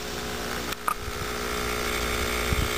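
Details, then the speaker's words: Norcold (Engel) AC/DC portable refrigerator, originally R-12, cooling unit run on 120 V AC via transformer (22 V), linear swing-motor compressor at 60 Hz: steady low hum with light clicks at startup; compressor runs but won't cool, owner suspects lost refrigerant. "Okay, we I hear a humming now. Compressor sounds like it's working."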